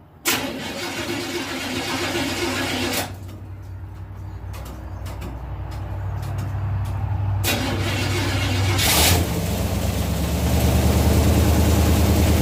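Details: 1967 Chevelle V8, first start since 1977 on its original wiring after cleaning a bad connection inside the ignition switch; brief crank, catches and settles into a steady even idle rising slightly as it warms; healthy, normal idle.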